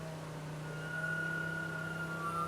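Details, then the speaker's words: Porsche 928 Bosch K-Jetronic fuel system under test, fuel pump jumped and no injectors fitted: steady low hum with a thin whine rising slightly near the end as the pump runs under load; normal fuel pump operation. "i can hear the fuel pump getting tired so i think it's got pressure yeah okay okay so you can hear the fuel pump under load"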